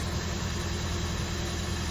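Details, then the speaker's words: 1977 Winnebago Chieftain, abandoned 20 years, had been running on 7 cylinders, freshly filled with 15W-40 oil: low, steady, even idle with no misses, ticks or knocks; now runs healthy, owner suspects it was a gummed-up plug. "oh that sounds super healthy might have just had a gummed up plug this whole thing sounds good"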